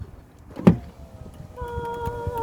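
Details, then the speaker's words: Dodge Caravan power window after replacing the failed window and door lock switch assembly: a click, then a smooth steady motor whir with even pitch as the glass travels; window works normally. "Now, of course, before you do anything else, you're going to turn it on. Make sure it's working. These are the sounds we like to hear."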